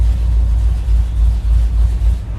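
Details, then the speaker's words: Ford FE V8 in ramp truck after ignition tune-up, cold after sitting overnight: deep, lumpy rowdy rumble at raised steady fast idle on choke, no knocks or misses; firing order sounds correct, healthy. "Will it actually fire up easily or not? I thought it was going to be like super easy. Not too bad. Hello, choke."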